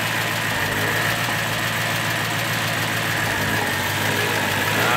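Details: BMW E92 M3, 48,000 miles, sat about three years, supposedly bad engine: V8 idling slightly unevenly with a fast light tick about four per second, of unknown cause; the car also stalls at idle and restarts.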